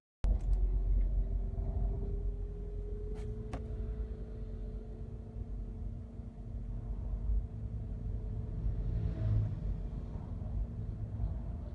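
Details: Toyota Camry ACV40 at idle: a steady mid-pitched whine from the front of the engine over the rumble, caused by a failed alternator diode.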